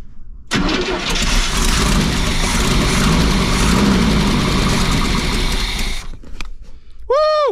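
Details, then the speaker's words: Motorhome engine after sitting over 10 years, gas poured into the carburetor area: cranks, catches and roars about five seconds, then dies; runs only on hand-poured fuel, ignition works, fuel supply missing. "there you have it she's a runner oh i have to [ __ ] my face though but she's a runner guys let's see if she starts up again"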